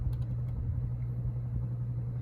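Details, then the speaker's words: Renson showroom ceiling fan running on variable speed: a steady low motor hum with an uneven rumble riding on it from worn bearings, which need servicing. "the motor is Beefy too you can start to hear the bearings"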